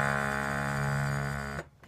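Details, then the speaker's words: DMS 18 Teak harmonium: a held note sounds raspy and buzzy because a metal reed is brushing its casing. The fix is filing the casing, or replacing the reed. "Hey there, this is Nick with Old Deli Music, and this is a video on how to fix a buzzy reed."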